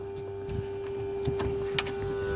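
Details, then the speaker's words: 1984 Mercedes 300SD central locking with door actuator detached: steady high electric vacuum pump hum that runs on without cycling off; stops when the line is unplugged and the hole covered, so there is a vacuum leak. "hear it so that's here's how i know there's a vacuum leak it's running if i unplug it and cover the hole it stops"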